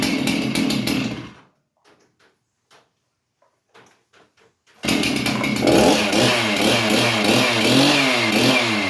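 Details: Stihl MS311 chainsaw, bar and chain removed, after replacing the ignition coil that kept it from starting: sharp two-stroke buzz drops out, then fires again and holds a steady, clean rev; sounds healthy.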